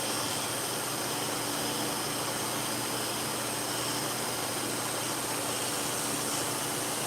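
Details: Dog clipper blade after cleaning, sharpening and reassembly, run-tested to set the two blades together: even, steady buzzing hum under a hiss of shop fans, with no rattle or grinding; clipper running normally.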